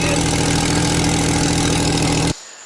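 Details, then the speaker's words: Jeep Wrangler TJ 4.0 six-cylinder at idle, heard from underneath: loud raspy roar with harsh hissing edge from a big crack in the exhaust manifold; gasket apparently replaced before; manifold replaced as the fix. "Lord have mercy. Oh yeah, there's the crack. You see there's a big crack right there in the exhaust manifold."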